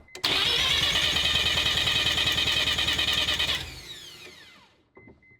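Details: Rotary engine with used parts and new apex seals, new turbo, not yet broken in, starter just fixed; even starter whine with steady pulses about three per second, then spins down; normal cranking, compression test readings about 84–108, fairly even.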